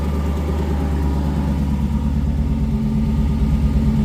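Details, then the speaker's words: Coyote V8-swapped Ford Ranger idling cold with good oil pressure: loose, uneven rumble with a faint irregular knock near the bell housing; a loose flywheel is suspected, and the transmission may need to come out again. "Sounds really good, except there's a noise, and I got to find it. So I think I got to pull the transmission out again because it sounds like a loose flywheel or something stupid in"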